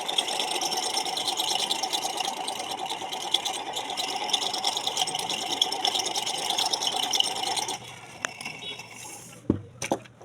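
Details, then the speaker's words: Ceiling fan running after switch-on: loud, harsh creaking grind with an uneven rattle. "যাদের ceiling ফ্যানে switch দেওয়ার সাথে fan চলার সাথে সাথে ক্যাচমেচ ক্যাচেস করে আওয়াজ হয় মনে হয় ভ্যান ভেঙে চুড়ে পড়ে যাবে এই শব্দ বিরক্তিকর"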